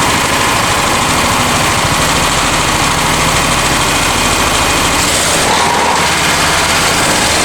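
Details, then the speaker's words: Honda EX1000 generator after carb cleaning, hard to start; owner suspects something in the fuel tank is plugging it and was moving the throttle the wrong way: harsh, ragged clatter with no steady beat, struggling to hold speed. Rough running, cause unclear. "Kind of working. I was hitting the throttle the wrong way, so it wasn't actually speeding up a lot."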